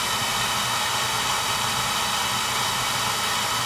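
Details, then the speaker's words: Oil burner after service: the Firomatic valve at the tank bottom had been changed and there was good oil flow but no start; new transformer fitted and electrodes fixed. Steady, even roar of fan and flame, no pulsing or sputter; clean burn, normal operation. "oil flow clean pad new transformer fix electrodes good spa good oil flow clean burn ahead so that should do it"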